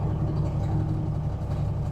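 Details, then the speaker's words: Parts-donor semi truck, likely a big cam Cummins diesel, old oil, fuel system primed, 40 psi oil pressure at idle: steady low rumble, even, no knocks or misses; normal diesel idle. "40 pounds of oil pressure at idle. It really doesn't sound too bad at all. Sounds like a big Cam Cummins to me."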